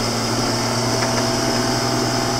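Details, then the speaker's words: Rebuilt John Deere 7410 tractor on a warm test run at 22 mph, revs turned up, power shifts and four-wheel drive working: loud, even diesel drone at steady pitch, no knocks or grinding. Running healthy. "She's really running good. We're rolling down the road 22 miles an hour. I actually turned this the RPMs up on this tractor a little bit so we get down the road a bit faster."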